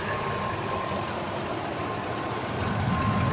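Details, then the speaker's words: 2004 Ford Econoline E-150 XL wheelchair van, 110,352 miles, no warning lights, heard under the hood: steady, even idle with a smooth low hum and no knocks or misses; running cleanly with no major leaks. "Underneath the hood, you can hear the engine idle smoothly."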